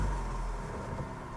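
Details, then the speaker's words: Vauxhall Corsa 1.4 petrol with a P0171 lean code, after the purge valve was replaced and fault codes cleared: the engine starts easily and settles into an even, steady idle with no lumpiness, and no codes return. "And I can hear straight away, it's not running lumpy, it's not struggling to start. So instantly I know that that sounds better."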